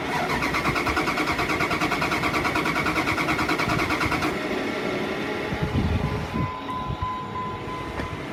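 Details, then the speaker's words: 1999 Dodge Ram 3500 flatbed, 5.9 L V8, 79,000 original miles, on a jump box: steady starter cranking for about four seconds with no firing, even with starting fluid sprayed in; it appears to have no spark. "It makes no effort to start even with uh starting fluid being sprayed into it."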